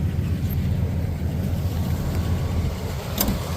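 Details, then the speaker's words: Pontiac V8 out of the shop, on its first drive in 50 years, hood off. A steady, even low rumble at idle with no ticking or knocking, and even exhaust: a normal, healthy idle. "all right y'all can hear it no ticking no clocking a little bit doing pretty good"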